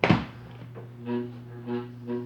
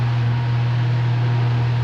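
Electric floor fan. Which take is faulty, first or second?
first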